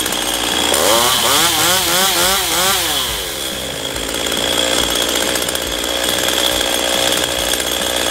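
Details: Stihl MS192TC chainsaw that was hard to start and unstable, after carburetor adjustment: it revs up and down cleanly and holds a steady high buzz with no stumbling. It now starts normally.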